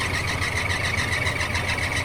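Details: 1981 Chevy Silverado V8 at idle with a steady high belt squeal and a quick fluttering pulse: the belt slips on a wobbling harmonic balancer pulley. The owner also suspects the AC compressor or alternator, and a new balancer is on hand.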